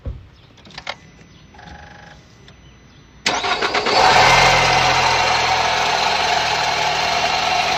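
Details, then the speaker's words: Old car at high altitude with a failed air conditioner. Engine cranks and starts, then a loud steady high squeal over the idle that rises and falls, heard with the bonnet open. Smoke seen there the day before; owner suspects the belt. "这个车吱吱吱叫，异响特别严重，不知道什么问题。"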